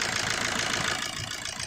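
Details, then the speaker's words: 2007 Suzuki Swift diesel: steady even idle at 850 rpm, rail pressure 28,000, smooth clatter with no misses or hunting; normal idle. "और engine idol speed भी देखो जितना चाहिए उतना ही है। 850 बराबर।"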